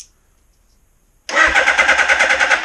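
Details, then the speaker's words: 1981 Suzuki GS650GL during rebuild, battery reinstalled: after a pause the starter spins the engine briskly at an even quick rhythm, strongest cranking yet. Normal starter cranking. "oh my Lord wow that sounds like the best I've ever heard this thing turn over wow that was uh that was incredible"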